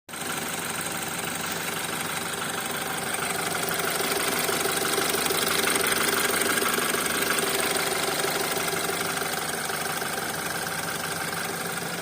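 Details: BMW X3 F25 with N20B20 engine, about 100 seconds after start at idle: regular light knock about twice a second over the engine note; cause not yet known.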